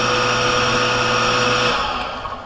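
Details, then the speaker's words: Cottage water pressure pump with foot valve in the lake, primed using a submersible pump, filters not yet fitted: steady motor hum with high whine, then clean cut-off at the pressure switch; normal run. "off it's ready the way it should look when you turn this on Punk should cut cut off that means that everything is working up to here"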